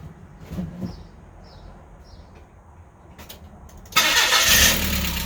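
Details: Mazda Miata after a supercharger intake install, supercharger belt not yet fitted; the starter cranks and the engine catches in about four seconds, settling into a steady but slightly low idle; a clean start.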